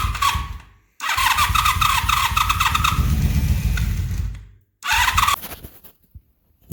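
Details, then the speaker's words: 1983 Honda Magna 750 V45 after head replacement for a broken valve adjuster screw, cold start: starter whirs, V4 catches and settles into steady, even idle with no knocking or rattles; normal cold start, no problems in 100 miles since. "And there she is. Sounds good."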